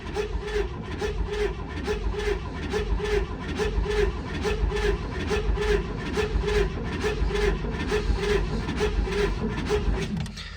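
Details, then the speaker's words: 1964 Chevelle Malibu, 54k original miles, first cranking after sitting 34 years, coil not connected so no firing: slow starter cranking at about two pulses a second with an uneven galloping beat, not hitting on all cylinders. "now this thing obviously does have a Gallop whenever we crank it over it's not you know hitting on all cylinders very clearly it doesn't have a coil on i"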